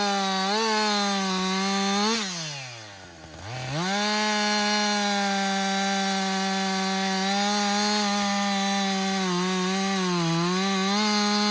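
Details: Husqvarna 562XP 60cc chainsaw, back from the shop after dealer reflashed its software for dying when hot and stumbling, bucking dead windfall about two-thirds of a tank in: high steady scream dips briefly as chain bites, climbs back with no stumble; normal under load.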